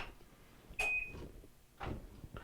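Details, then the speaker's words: Whirlpool Duet electric dryer (GEW9250PW1) that won't start: a beep, then the control board relay clicks faintly with no motor hum; stuck belt switch, so the drive motor won't start. "so we know the relay on the board's clicking um but it doesn't start up and run"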